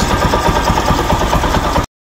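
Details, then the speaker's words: Rouser 135 motorcycle after repair of its smoking problem, no airbox fitted: the small single idles smooth and even with regular firing pulses and no knocks or rattles. The engine is very quiet and healthy. "Yan, napakaganda na ng ganyang minor. Tahimik na tahimik, tapos nawala na rin yung usok niya."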